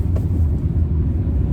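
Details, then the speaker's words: VW Polo sedan driving in winter on new winter tyres, with the Lemforder tie rod ends at 5 years and 160,000 km: a heavy, constant low drone at cruising speed with no knock; loud road roar from the tyres. "скажите что расстроился что-то я с этой резиной так гудит она как едешь на УЗИ"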